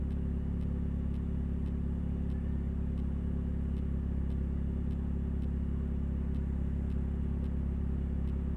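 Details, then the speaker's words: 2000 Nissan Altima, an old car owned since 2010, under way on the road. A deep, loud, droning rumble far too throaty for a small car, from an exhaust leak at the braided flex pipe, before repair. "That noise is not usual for such a small car. I hope after we repair the car, I'll show you what we replaced."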